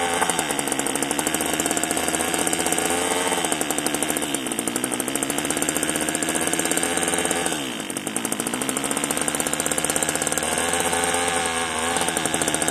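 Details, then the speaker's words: One of two marketplace Homelite string trimmers (Homelite-branded or Craftsman-rebranded), bottle-fed 2-cycle fuel with compression and spark unknown beforehand: a steady, high-pitched two-stroke buzz with even, rapid firing that dips and recovers briefly with throttle. It runs cleanly, so normal running. "She'll run. I mean, if I put fuel in the tank, she may take off and run for us."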